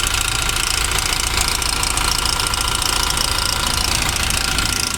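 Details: Toyota Revo diesel idling busily with a fast, uneven clacking about three to four per second over loud hiss, a clatter from the upper engine; mechanic suspects the timing chain, pending teardown.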